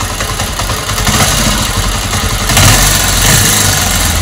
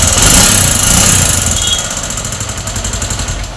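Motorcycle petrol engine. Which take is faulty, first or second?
second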